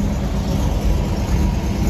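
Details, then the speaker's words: International Scout with a freshly rebuilt carburetor, cold during warm-up with the choke held by hand: rough, uneven idle whose speed hunts instead of settling. The owner suspects a vacuum leak; it was fine once warm last time. "you can hear it hunting I'm not I kind of feel like I might have like a vacuum leak but I'm just sort of babying or babysitting the choke to see if I can get it to get through the warm-up stage um definitely not running super well"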